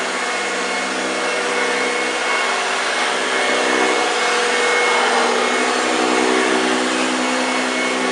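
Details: 1965 Hoover Junior 1334A vacuum cleaner on carpet: even, steady motor hum with a low growling note from the brush, no rattles or pitch drops; normal running.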